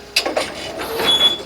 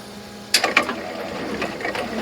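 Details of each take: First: Brunswick GSX pinsetter sweep wagon, before lubrication, running the sweep: sharp squeaks in bursts as the sweep moves with one short held squeal; reported squeaky noise, suspected dry pivot point rather than the wagon rollers. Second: Brunswick GSX pinsetter sweep wagon after oiling pivot points with spout oiler, running the sweep: soft clunks and light rattles, no squeak or squeal left; squeak was just a dry pivot point, now operating normally.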